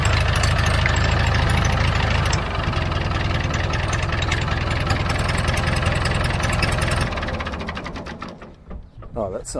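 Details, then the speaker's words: Vintage David Brown 990 diesel tractor, bought as a non-runner: catches and settles into an even, steady low clatter at idle with no misses or knocks; the motor sounds healthy. "but at least that motor runs man that sounds mint"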